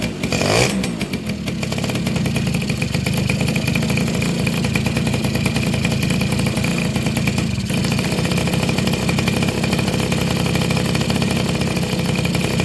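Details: Two-stroke motorcycle (Suzuki RC110 / Yamaha Y100) that wouldn't start after a rebuild, fixed by replacing a hardened, internally leaking crankcase seal: after a blip it settles into a steady, even crackling idle; normal.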